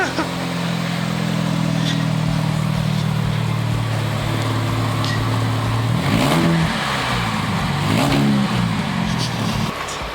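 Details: Friend's car after a speedbump smashed and split the exhaust, now repaired with a split flange after cutting out rusty studs: engine idles then revs up and down twice with a clean, smooth note, no blowing or rasp; exhaust sealed.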